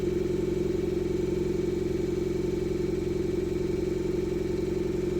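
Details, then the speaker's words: Fiat Panda 100HP swapped with a Bravo 1.4 T-Jet turbo engine, first start after the build with dashboard warnings: uneven lumpy idle pulsing about four times a second, sounding like it runs on two cylinders; misfire. "The car's working, the turbo's turning, I think. It sounds like it's running on 2 cylinders."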